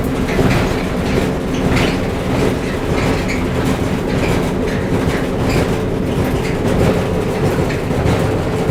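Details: Whirlpool gas dryer model LGR7648KQ1 running: heavy low rumble with a loose thump about 48 times a minute, in time with the drum; both the left and right drum support rollers were found worn.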